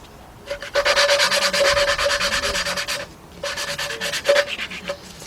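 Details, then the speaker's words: 2003 Jeep Liberty Sport 3.7 partial rebuild, cylinder head off: valve being hand-lapped with an old tool, gritty back-and-forth scraping at about three strokes a second; grinding fades to a smooth sound once the valve is seated. "When you hear that thing gets kind of like you won't hear it grinding no more. It will sound It will feel It will sound kind of smooth."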